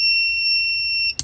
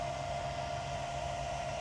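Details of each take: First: Inverter in a 2023 Kia Sportage Hybrid switched on with the car off: loud, steady high-pitched tone for about a second, then cuts off; owner believes it is an undercurrent alarm, not enough power available. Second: Newly installed inverter in a 2023 Kia Sportage Hybrid, wired to the 12-volt battery, charging a battery with the charger plugged in: steady mid-pitched whine over a low even hum from the inverter; normal operating noise under load.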